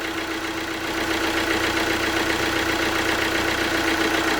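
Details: Alfa Romeo Giulietta diesel after water pump failure rebuild (new genuine parts), coolant being bled with cap off, warming up: steady even diesel clatter, revs settling slightly, no misfire or hunting; healthy idle.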